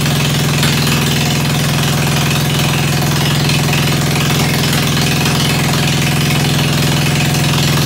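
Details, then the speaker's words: Ford 100 at the end of a tune-up, started with starter ether on a roughly 40°F day, idling through a straight pipe: loud, steady putter with an even low beat, no misses or knocks; healthy. "[Music] you are death in one and that thing sounds beautiful"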